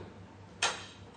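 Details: Ballast-driven fluorescent tube in a loose lamp socket over a quiet hum: one sharp crackling snap fizzes out within half a second as an arc jumps at the socket, shown as a lamp burn hazard.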